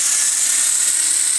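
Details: RC helicopter with iKON flybarless governor, ICE II ESC, in Stunt 1 mode at about 2200 rpm head speed: even high whine with steady low hum, no rising or falling; governor holding constant head speed; normal.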